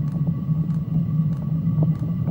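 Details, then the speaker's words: New Chinese diesel heater for a trailer, just fired up after glow-plug burn-off with some air bubbles in the fuel line: a steady low combustion roar with a soft regular fuel-pump tick about every half second. It is burning cleanly with no exhaust smoke. "I'll let it run for a few minutes, make sure it doesn't get any errors. It seems to be running very efficiently now."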